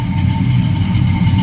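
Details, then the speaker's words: 1972 Oldsmobile Cutlass S with fuel-injected V8 swap and Doug Thorley headers, heard from the rear after high idle came down: deep, steady burble, no knocks or misses; normal idle. "Slip around to the back also, see here since that idle's come down."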